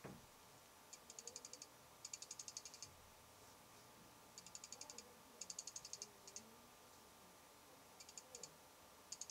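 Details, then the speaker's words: Fuji X-Pro1 lens in quiet recording studio, low light: faint bursts of rapid fine aperture ticking come and go, barely registering on a meter set at 60 dB (occasional 53 dB reading); normal aperture chatter. "cuz I mean the lens chatter is so loud people have been complaining about it's got it's got to measure something"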